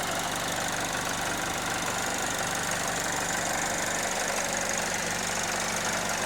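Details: 2009 Chevrolet HHR idling after sitting 7–8 years; rough, uneven tapping about three a second, a knock at idle with cause not yet known; rat-damaged wiring also needs sorting.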